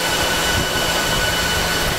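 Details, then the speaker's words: Dell PowerEdge 2950 II server with lid off, just after boot; loud steady rushing whoosh with faint high whine, fans at full speed after startup check, about to slowly ramp down; normal. "we're actually currently on full fan speed at the moment so that's what it sounds like you'll hear it slowly ramping down"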